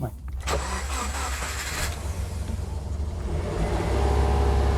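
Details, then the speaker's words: Auctioned Subaru at start-up on low fuel: low idle rumble surging and sagging unevenly with a faint whine on top; idle hunting all over the place and noisy power steering pump. "yeah we've got low fuel power steering's a bit noisy Idol's a bit all over the place"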